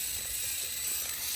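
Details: FMS Chaser 1/24 RC short course truck out of the box, rear axle hopping: rough ratcheting crunch with uneven clicks over motor whine; rear driveshaft binding and skipping, stripped driveshaft pin/screw in a messy rear end.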